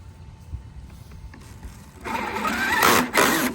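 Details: Custom Traxxas XMAXX RC truck, Hobbywing MAX4 560kv on 8S, new pinion/spur setup: quiet whirr, then harsh rising grind and clatter after a backflip, pointing to a broken gear in the rear drivetrain; owner suspects it wasn't shimmed out enough.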